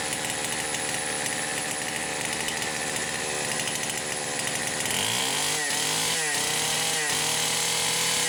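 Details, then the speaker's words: Poulan Pro 525 chainsaw (essentially a Pioneer P52), governed carb, carburetor gasket issues repaired: fast buzzy idle that won't settle, surging higher around five seconds, idle speed screw fully backed off; high idle, cause unknown, rev limiter on coil suspected. "I don't have any idea why it is trying to idle too high. I mean, the idle speed screw's backed off as far as it will go."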